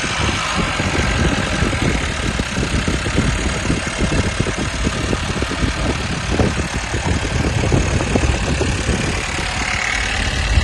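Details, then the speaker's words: 2018 Chevrolet Malibu GDI after replacing the seized high-pressure fuel pump (which damaged the cam) with a used one and changing its seal to cure crank-no-start: starts cleanly, steady even idle, no misses or knocks; runs healthy. "ये जी अल्हम्दुलिल्लाह हमारी गाड़ी बड़ी ज़बरदस्त किस्म से स्टार्ट है, कोई मिसिंग नहीं, अल्हम्दुलिल्लाह सब कुछ ठीक है।"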